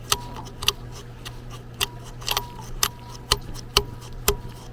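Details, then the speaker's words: Turbo off an International 4700 444E truck, spun by hand with engine off: dry gritty whirr and scraping ticks fading as it slows; damaged turbine fins, shot bearing, wheel touching housing sidewall; turbo being replaced. "This turbulent flow going on in here with all these damaged fins, as well as when I spin this, I can hear that bearing is shot."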